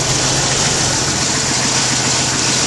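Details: 1991 Jeep Wrangler YJ 4.0 idling with fuel pressure gauge fitted, reading 39–40 psi, vacuum line reconnected to the regulator: steady even idle with constant hiss, no misses or knocks; fuel pump and regulator working correctly.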